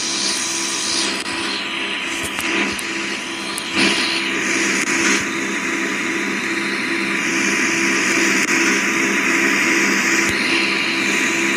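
Loud steady hissing rush with a constant hum underneath and occasional clicks; the unit runs noisily, cause unclear.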